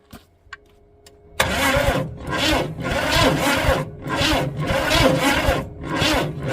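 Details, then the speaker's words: 400 small-block Chevy V8 in a rat rod after sitting outdoors 13 years, with points cleaned; slow, labored cranking in uneven surges about every half second, weak spark, never catches; cranking but no start. "seen a spark it's weak and the motor's cranking slow but I Can See Spark we got Spark"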